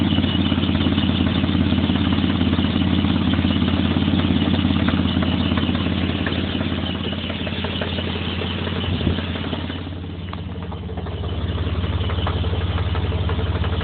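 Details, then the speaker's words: 1996 Mitsubishi Montero, idling: a steady light knock at two or three a second over a low hum that comes and goes, idle only and worse when warm. It seems to come from the top end; alternator belt or bearing suspected, not confirmed. "1996 mitsubishi montero trying to figure out why it's got a knocking sound at idle only at idle then it slows down and comes back usually when it gets warm it's worse not sure sounds like it's coming from the top end"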